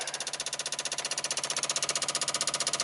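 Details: 1995 Dodge Ram V10 cold no-start, engine off: ignition module replugged, PCM 8 V reference back up to 6 V from 3.6 V, relays clicking sharply and evenly about four per second; failing PCM internal 8 V regulator.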